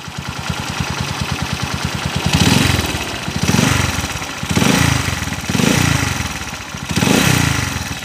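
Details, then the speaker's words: Honda TMX155 single, ticking reported when cold that fades when warm: idle beats unevenly, surging about once a second with a harsh rotating mechanical rumble; worn crankshaft bearings and bent crankshaft. "oh kakaiba yung tunog nito mga kaabo kakaiba yung andar niya yung ingay ng makina kakaiba oh parang may ma-i na umiikot sa loob"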